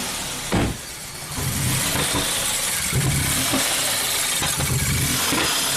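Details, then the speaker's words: 2017 Ford Focus after a used DSG and new dual-clutch swap, with the air pipe removed and the MAF sensor unplugged: engine runs ragged with sharp pops, backfiring into the intake manifold. No fault codes stored, cause not yet known. "We removed the air pipe, disconnected the mass airflow sensor, start it one more time, and we'll see that it's backfiring into the intake manifold."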